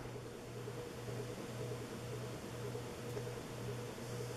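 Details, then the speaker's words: 1980s Sanyo 132 cm four-blade ceiling fan, made in Japan, at roughly 120 rpm: low steady hum pulsing over soft airflow; owner suspects the ball bearings make the sound; audible motor hum. "Il y a un son, j'imagine que c'est les roulements en billes qui font ce bruit-là qu'on entend là. Comme ça. And it has a audible humming sound"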